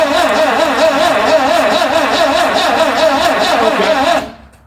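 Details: 1974 Vauxhall Magnum, unstarted for 37 years, fuel squirted in and throttle butterfly possibly stuck: starter churns about three beats a second for four seconds and never catches; crank, no start, weak battery suspected.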